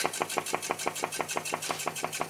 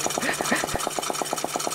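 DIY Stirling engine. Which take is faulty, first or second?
second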